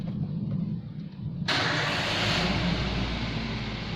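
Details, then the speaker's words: 2011 Toyota Avanza VVT-i with the throttle position sensor connector unplugged: starter churns briefly, then the engine catches and runs loud and fairly steady, no obvious change; scan tool shows P0120 throttle/pedal position sensor circuit fault. "Hai mesin bisa hidup tetapi pada scan tool akan terdeteksi dengan shutter berikutnya fenol 120 trotol position atau pedal full season sensor sirkuit ini berarti sensor yang berubah setor yang pada TPS mengalami Trouble"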